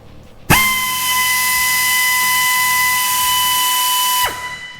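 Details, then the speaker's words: Harbor Freight Central Pneumatic 90° air drill, measured about one foot away: snaps to a steady high even whine, holds, shuts off cleanly; running normally, 88 dB versus about 80 dB normal conversation. "so 88 DB that's what that recorded and now we'll compare it to the uh husky ratchet"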